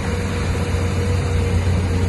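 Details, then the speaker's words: 1958 Cadillac Eldorado, 65-year-old 365 V8 with a two-barrel carburetor, idling outside on a new near-original exhaust with rear resonator mufflers; smooth, even, quiet low rumble without misses, knocks or ticks; normal idle. "Well, we got it outside. You can hear it's nice and quiet. Beautiful car in very good condition."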